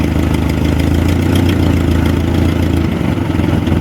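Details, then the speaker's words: Jacobsen G-10 tractor engine idling after revival, rotor poorly fitted on distributor shaft flats: steady idle with sharp, hard firing pulses on low rumble; owner suspects timing slightly off; otherwise fairly smooth, little smoke. "sounds like it's firing kind of hard, but aside from that, I'm happy with it."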